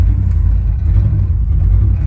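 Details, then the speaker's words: 1997 GMC 3500 with 7.4L Vortec 454, cold start: deep uneven stumbling rumble with loud raw exhaust through a blown muffler; misfiring and running rich, raw fuel smell, later traced to fuel injector stuck open on cylinder 6. "okay so we got that clutch problem taken care of let's start this baby up and see what it says it does seem like it's missing"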